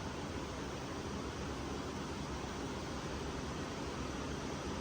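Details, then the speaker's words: 2013 Chevy Volt driving with AC on full blast: only a smooth, steady blower rush, no rattles, squeals or engine noise; normal fan noise, car otherwise silent. "All that you can really hear is the fan noise. You don't actually hear the vehicle. That's how quiet the vehicle is, which is awesome."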